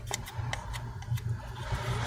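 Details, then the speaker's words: Lenovo Yoga C740-15 laptop CPU fan at high speed: low, uneven drone with faint irregular ticking and grinding; owner suspects worn ball bearings, cleaning didn't help, so the fan is being replaced. "Yeah, when you go on a high speed, this thing makes sound."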